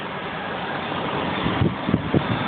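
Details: 1995 BMW 750iA M73, 170,000 km, cold-start idle lopes unevenly with thumps felt in steering wheel and chassis, plus a light metallic tap from the passenger-side lower engine bay; seller suggested a possible exhaust manifold hole; cause unconfirmed.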